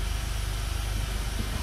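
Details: Normal idle in gear of a 2005 Honda Accord EX V6 coupe after a transmission range switch replacement for an intermittent no-crank no-start; the fix is confirmed. A low, smooth, quiet V6 rumble, even and steady with no stumble.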